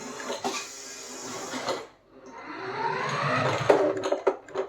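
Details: CMJ 1/10 Range Rover Sport two-wheel-drive toy RC car driven indoors: buzzing, rattly whine rising and falling in short bursts from its odd, noisy steering servo.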